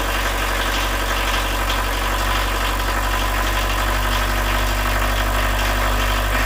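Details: 1986 VW Jetta turbo diesel with very low compression, injection pump previously bone dry, four working glow plugs refitted: fires straight off the key and settles into a steady, even clatter of about four beats a second; normal idle.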